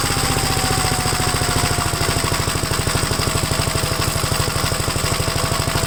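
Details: Second Gravely project's single-cylinder engine on its first start-up after installing the gas tank and tightening the throttle rod: a steady, even fast-idle thump with no misses or knocks. WD-40 and two-stroke mix were put in the spark plug hole. Normal running.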